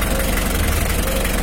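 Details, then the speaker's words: Mitsubishi L300 diesel at idle, not yet throttled, during a radiator fan and fan-clutch airflow check. Steady low clatter with a constant strong fan air rush, no wobble or rattle. Fan airflow is already strong; healthy idle. "masih posisi Idul beras Eagles bukan bukan face besar ini masih posisi Idul Jalan anginnya udah cukup besar ini masih kasih Del ini bukan masih belum pakai tancap gas ini"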